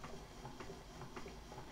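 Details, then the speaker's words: Keurig 2.0 coffee maker first-use preheating stage: very soft low hum with light irregular ticks, no heavy thumping as in older Keurigs; normal, quiet preheat. "a very quiet machine. My very first Keurig machine, I used to always tell people when it was preheating, you'd hear that big thumping sound, the dunk, dunk. This is very quiet, which I really, really like."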